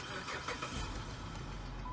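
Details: Dodge Charger after a newly installed fuel pump that didn't work was fixed: a brief crank, then it catches cleanly and settles into a smooth, steady idle with no stumble. Starts normally.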